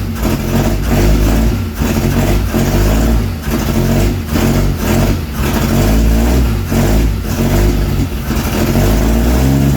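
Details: Twin-carb Holden straight-six in a 1938 Chevy rat rod, first start after sitting over 20 years, no exhaust fitted and with a fuel leak at a fitting. Loud, lumpy running with uneven surges; timing believed slightly out and carburettors need tuning.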